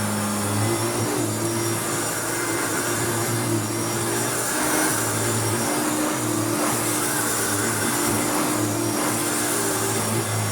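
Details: Restored Hoover Turbopower U2724 upright vacuum started on the high setting: a smooth, steady motor drone with constant hum and airflow rush, and no rattles or speed dips. Normal, healthy running on high.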